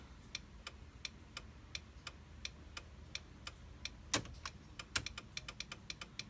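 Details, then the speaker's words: Sharp flasher ticks that double into a rapid clatter: turn signal hyperflash. The hazards work, and the owner suspects a missing rear bulb or a short somewhere in the rear signal wiring. "maybe this bulb is out because it's making that weird TTT cuz that one's going"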